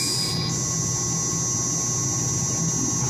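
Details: Roughly 25 hp pump motor (uncertain) on a drive at 4 kHz carrier frequency: steady high-pitched buzzing whine over motor hum; noise grows quieter as switching frequency is raised toward 10 kHz.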